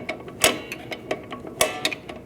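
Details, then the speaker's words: 2004-2012 Chevrolet Colorado rear drum brake, readjusting after wheel cylinder replacement: crisp metallic clicks about four a second as the star-wheel adjuster ratchets correctly; no clicking means wrong installation or direction. "And if you don't hear that clicking, your adjuster isn't in there right or you're going the wrong way."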